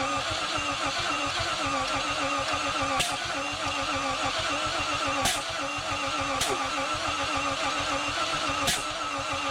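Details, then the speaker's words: 1951 Korean War M38 army jeep, not run in years, cranking after cleaning corroded ignition points with emery paper: slow uneven cranking with sharp pops every one to two seconds; now has spark but backfires through the intake, with fuel pumping down through the primaries. "all right guys so it's clearly got spark now uh it's kind of backfiring through the intake so we solved that problem for sure"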